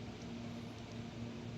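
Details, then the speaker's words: HP LaserJet 1008 after the cartridge fault behind its earlier error noise was fixed. Now just a soft steady low hum with no grinding, knocking or clicking; the printer sits ready and normal. "यह आवाज आना हमारा बंद हो गया। यह cartridge की दिक्कत थी। इसके वजह से यह पहले आवाज कर रहा था। अब यह आवाज नहीं। यह प्रिंटर रेडी हो चुका है।"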